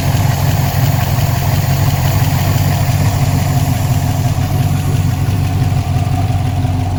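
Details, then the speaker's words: V8-swapped Chevrolet Colorado idling after an updated tune, new PCV setup and an oil problem, deep even burble and steady low rumble with no ticking or knocking; sounds healthy. "I'm not sure how well you guys can hear me now with it idling but uh let me just kind of go around with it running"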